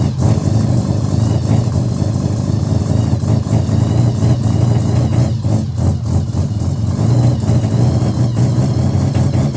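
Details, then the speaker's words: Mazda RX-7 13B bridgeport on an EFI conversion with a borrowed Microtech ECU whose map was for 1,000cc injectors but runs 700s, untuned: a loud, lumpy idle with uneven pulses and stumbles; it won't take throttle. "Now, this is only idling. As soon as you touch the accelerator, it just doesn't want to know you, but still good start."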